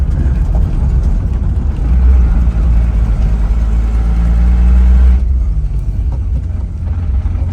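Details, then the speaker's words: Datsun 280ZX after fitting a full set of remanufactured fuel injectors and a new fuel filter; before, it ran very badly. Smooth, even low engine note swells briefly and settles with no stumble or miss; night-and-day difference, normal running. "All right. Night and day difference."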